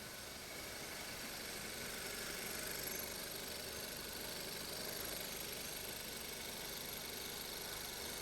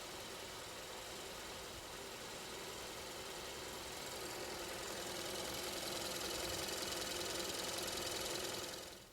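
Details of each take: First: 2015 Kia K3 1.6 GDI at 60,000 km, after carbon cleaning of the combustion chambers and intake valves plus new ignition coils and spark plugs: a quiet, even idle with a soft steady hum and no knocking. The knock is gone. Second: 2015 Kia K3 1.6 GDI, 60,000 km, idling with a sharp, steady tapping knock; detonation from faulty ignition (weak spark on cylinder 2) and heavy combustion-chamber carbon, compression good; fixed by chamber and intake-valve cleaning plus new coils and plugs.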